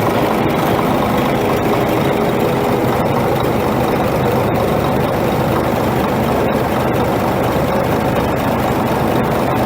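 Heavy diesel idling with a dense, rough clatter and scattered sharp knocks over the steady drone, a knock whose cause is unknown.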